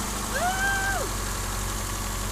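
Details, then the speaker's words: 2004 Subaru Outback, 170,000 miles, with a brand-new OEM Subaru short block installed roadside. First start on a borrowed battery, with no coolant yet. A quiet, even idle with a steady low hum and no knocking or ticking: healthy. "Nice and quiet. Turn it off. Looks good."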